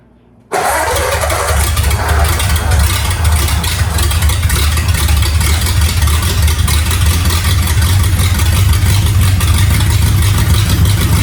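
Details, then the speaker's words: Freshly rebuilt Ford flathead V8, first start on primed fuel: catches at once, steady even low rumble with no knocks or misses, until it runs itself dry. Normal running. "And there it ran itself dry, but it runs. Yay."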